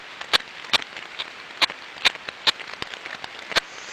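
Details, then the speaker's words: Ultrasound on one of eight bearings on a 6-month-old asset, reading 2 dB versus 0 dB on the other seven: repetitive sharp knocking ticks about twice a second over quiet hiss, amplified, very low-level in the headset. Other technologies on site missed it; outer race crack. "so through the laptop and through the computers right now that sound is being Amplified but in the headset it was a very lowlevel knocking sound"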